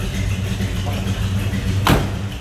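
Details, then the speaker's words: 1973 Chevrolet Nova Custom hatchback with numbers-matching 350 V8 and Holley carb, starting easily and idling: deep, even exhaust rumble with one brief louder thump, sounds healthy; normal idle. "engine does sound good has a nice Rumble to us go ahead and fire it up so you can hear it"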